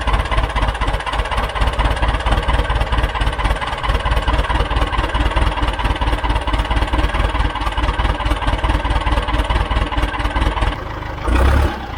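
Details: John Deere 410 backhoe diesel, first start after a complete engine rebuild, smoking from oil put in cylinders: catches and settles into an even, low chugging idle, steady firing, no knocks or misses; normal idle.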